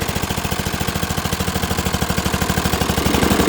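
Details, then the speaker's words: Dixon ZTR Kodiak SE mower, first start after charging, choke on, half throttle: comes to life fast but sharp, loud popping exhaust pulses, roughly ten a second, harsh and noisy; owner suspects an exhaust leak. "But I mean it came to life fast. It is loud. Sounds like I got an exhaust leak."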